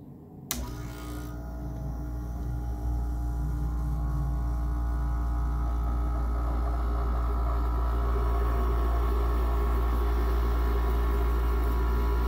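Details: Goldstar WG5004 5,050 BTU pancake-style window air conditioner: a click, then the compressor kicks in with a steady deep hum under the fan's even whoosh, building smoothly with no rattle; cold air coming out, normal compressor and fan running.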